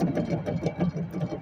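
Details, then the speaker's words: 2010 Chevy Impala, brake assembly removed and hub spun by hand: rough, pulsing growl, several beats a second, with faint grinding edge; on the road it made a loud humming, tires and rotor already checked. Worn wheel hub bearing, to be replaced. "but that's how you know your uh wheel hub bearing is bad just take apart your entire brake assembly and"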